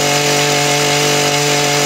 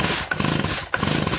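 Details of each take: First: Small two-stroke engine with very low compression gauge reading (about 20 PSI or less); steady crisp buzz that drops then snaps back up cleanly with throttle, even firing; normal running despite low compression test. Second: Two-stroke engine pulled over by hand during a compression test: slow soft strokes with barely any compression puff, gauge not even reaching 10 PSI, though such engines can still run. Low compression cranking.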